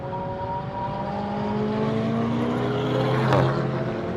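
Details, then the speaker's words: Diesel VW Golf with 200,000 miles, driven hard while smoking and squeaking: note rising and falling with engine speed, odd sweeping tone and sudden harsh burst; abnormal noise, cause unclear. "Why is it making that noise? What the hell? This shouldn't do that."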